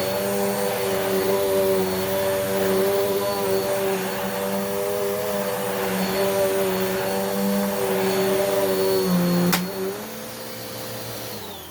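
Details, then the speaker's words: Dirt Devil upright vacuum after replacing stretched belt that let the brush roll seize and burn; steady motor hum with even whirr, brush roll spinning at proper RPM, strong agitation, normal operation. "now you can hear hear the agitation properly because the brush roll is spinning at its proper RPM and now the performance is much much better"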